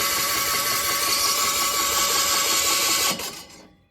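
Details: Gehl skid loader with an Onan engine: fast, perfectly even cranking whir with no compression pulses; a valve is stuck open, found with the head off and now being worked back and forth.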